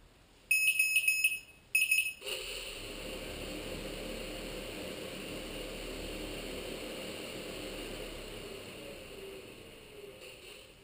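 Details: Lotus T580 quadcopter: burst of high beeps, then motors whir steadily about eight seconds before fading out, flight controller blue LED going off at the last three beeps; motors won't restart, cause not apparent.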